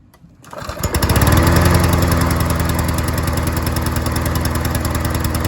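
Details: Troy-Bilt self-propelled lawn mower with a carburettor needle seat issue, after replacing leaking gasket; catches after brief crank, settles into smooth steady single-cylinder drone, no surging or stumbling; running healthy.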